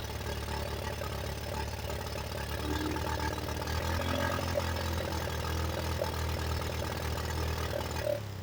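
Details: 1985 Yamaha Moto 4 single-cylinder on its old carburetor, warmed up and on choke: low, uneven idle beat that sags and wavers as if about to cut out; rough stumbling idle, owner blames the old carburetor and plans to replace it.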